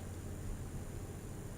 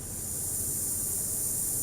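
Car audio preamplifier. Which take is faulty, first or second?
second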